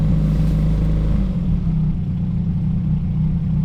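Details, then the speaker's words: Honda Civic, warm engine, no idle air actuator, after the throttle was held briefly to keep it from stalling: deep, steady, even idle at about 1,000 rpm with no misses or knocks; calm, healthy warm idle. "1,000 RPM, calm, healthy idle. Idling at about 1,000 right now, as you can see. That's just because the car is warm."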